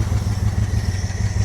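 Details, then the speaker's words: Mopar 318 V8 in a Coronet after a timing chain replacement, nearly out of gas, fuel filter dirty: lumpy, uneven low throb with a loping pulse at idle; still shaking and rough with cause unknown, though it drove much better. "But she is running. She is still shaking. But I took it for a drive and it ran way better."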